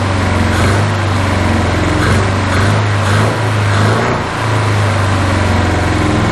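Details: 1981 Toyota Hilux RN46 4x4 with 18R-C engine, freshly rescued, running off a hand-held fuel can: loud uneven running with surging dips and sharp exhaust pops, backfiring; owner guesses ignition timing still slightly out, unconfirmed.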